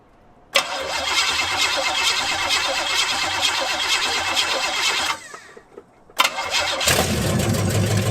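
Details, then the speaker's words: Cadillac with a newly fitted used carb (replacing a flooding Holley) and new ignition, timing unchecked, started on a jump pack: catches quickly, runs fairly evenly, dips briefly, then settles. Normal idle. "thank you all right that's running with the new carb uh well newish carb it's the carb off the boys are sitting here actually"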